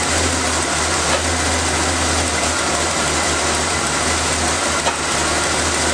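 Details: Engine started after valve cover reassembly with vacuum line clip, air filter and cover refitted, to listen for hissing air leaks; even settled idle rumble with no vacuum-leak hiss. Normal idle.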